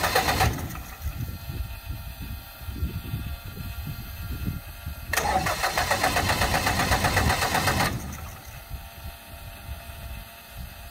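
Engine cranks and catches with rough, uneven firing and sharp pops mixed in, then a louder burst before settling; backfiring on startup.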